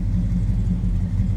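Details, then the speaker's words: 1966 Chevrolet Chevelle SS 396 big-block V8, 4-speed manual, running: deep, even, throaty rumble pulsing smoothly with no knocks or misses; normal healthy exhaust note. "told you it was a good sounding car. A little rumble coming out of that big block. Nice, deep, throaty exhaust note."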